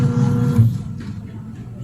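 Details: Eureka single-tub washing machine that stopped suddenly, suspected faulty timer: motor wired directly to power bypassing timer, runs with steady low electric hum, spinning freely without grinding or buzzing; washer motor running normally.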